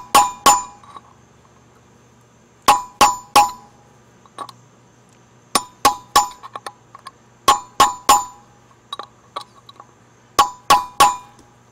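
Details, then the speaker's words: Boat trailer hub bearing replacement: sharp hammer taps with a punch in groups of two or three give a short solid knock instead of a ring, showing the inner bearing race is seated on the hub lip. "a real solid sound rather than kind of like a ring so I think we're good I think we are sat into the race"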